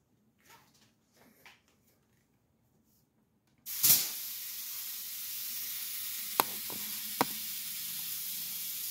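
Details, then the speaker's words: Ion lifter high-voltage power supply, eighth stage of the multiplier on six-stage output: steady high hiss starting abruptly at power-up with a couple of sharp snaps; corona discharge, before dielectric grease applied. "when I was running on my six stage output of the multiplier the eighth stage was actually having some Corona discharge so that's why you actually hear the hissing"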